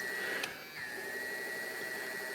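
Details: AIWA TP-724 tape recorder: a click, then a steady light whir with a thin high tone; fast forward spins up and runs smoothly.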